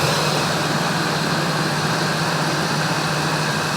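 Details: 1999 Ford Expedition 5.4L Triton V8 after replacing idler and tensioner pulleys and belt (belt had worn quickly from a bad pulley); steady low idle, even hum, no squeal or chirp, healthy.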